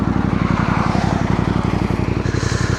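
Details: Voge DS625X motorcycle after crash repairs (coolant leak), idling on a roadside stop during a Land's End to John O'Groats shakedown while coolant is checked: steady, evenly spaced thumping, no knocks or misses; clean normal idle.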